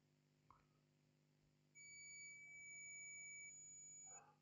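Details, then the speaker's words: Continuity beep on a Lenovo Ideapad 320-15ISK motherboard with no power: 19.8 V on input, 0 V at the first MOSFET output. In diode mode a steady high-pitched meter beep holds about two and a half seconds, showing the main 19 V line shorted to ground. "we have a short second clearly our motherboard is shorted"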